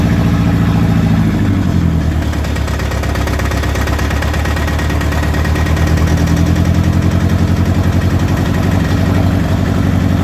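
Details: Toyota 22RET four-cylinder engine misfiring at idle: uneven idle pulses with an irregular stumble breaking the rhythm.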